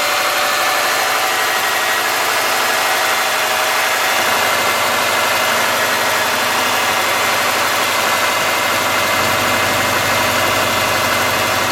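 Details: 2003 Subaru Forester, 178k miles, ~150 miles after head repair for a dropped valve guide: cold start harsh idle with rapid light ticking from driver side; exhaust valve clearance on driver-side front cylinder was .029 instead of ~.010, and adjusting it cured the noise.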